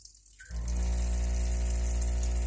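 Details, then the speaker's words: Kitchen faucet (iddis mixer) makes a loud, steady low hum as soon as the water is turned on; the cartridge is suspected to be worn and is replaced. "Салют народ смеситель короче на кухне вот что происходит вот слышим какой шум скорее всего проблема в кран боксе"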